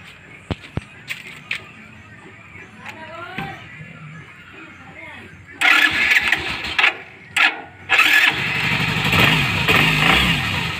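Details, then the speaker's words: Suzuki GD110 motorcycle after repair of a helicopter-like starter clatter caused by a snapped Allen bolt on the starter bendix at the magneto (bolt replaced): clicks, then it cranks, catches quickly and runs evenly. A normal electric start. "Wala na. Okay na yung andar niya. Okay mga boss, yun na nga na natanggal na yung ingay niya."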